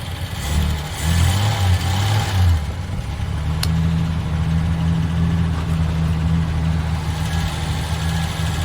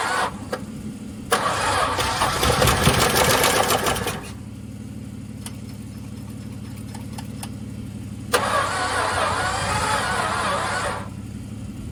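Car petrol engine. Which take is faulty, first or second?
second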